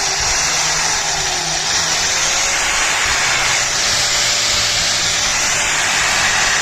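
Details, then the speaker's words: 4-inch angle grinder running at full speed: high-pitched rough whirring whine with a coarse gritty edge from gears gone dry of grease; gearbox likely heats up with extended use; dry gearbox gear noise. "तो दोस्तों ये आपको sound सुनाई दे रहा होगा, ये इसके gear का साउंड है। जो गियर हैं इसके वो काफ़ी ड्राई हो चुके हैं, जिस वजह से ये साउंड आ रहा है।"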